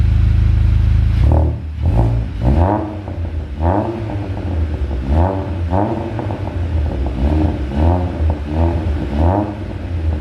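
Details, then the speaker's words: A salvage VW Golf GTI on its first start after fitting a hybrid IS38 turbo and a full exhaust, not yet bedded in, gets repeated sharp blips from idle. Revs rise and fall cleanly with a loud, deep, rally-car-like exhaust bark; it revs freely. "sounds like a rally car brilliant well it sounds like a rally car so not too sure that was the uh the noise i was intending for i was hoping it'd be a bit quieter than that"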